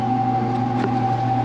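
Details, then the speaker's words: Laundromat top-loader washer; steady droning hum with a fixed high whine on top, no knocking, a drum bearing going out. "that noise you're hearing that's a bearing that's a noise a top loader makes with a bearing going out"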